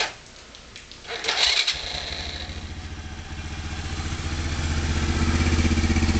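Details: Kazuma Falcon 110 semi-automatic ATV, hotwired ignition, new battery and solenoid: the starter turns it over, it catches after a second and settles into an even, steady idle that climbs slightly as it warms. Normal start and idle.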